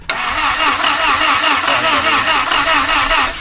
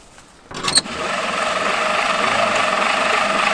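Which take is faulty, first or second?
second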